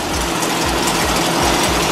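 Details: Volkswagen air-cooled flat-four in a dune buggy sand rail, just fired up after fixing the throttle cable with a hardware store clamp: quick even chuffing beat with light mechanical clatter, steady with no misses, idling fine.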